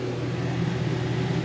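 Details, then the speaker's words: Rear Dometic rooftop RV AC after the thermostat replacement, set on low, with the generator loading up as the compressor kicks on. Steady low hum and even fan whoosh with no rattles or surges; the unit runs smoothly. "so I'll put it on low until we hear the generator fire load up when the compressor kicks on yeah can you hear it near the compressor"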